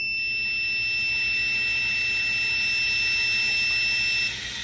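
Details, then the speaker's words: Homemade boost leak tester checking an adjustable normally-closed pressure switch for boost cut: steady beeper over hissing air stops at 20 psi as the switch opens; the switch responds slowly and reconnects intermittently. "like that's 20 psi and it stops so it would be open and it would kill the PCM"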